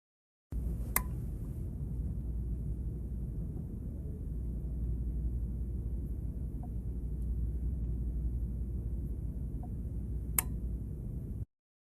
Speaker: the next is a clicking noise depending on the age of your refrigerator our boards use relays and they click as something happens or in some of the older units they had a defrost timer that would click in the defrost and click out of defrost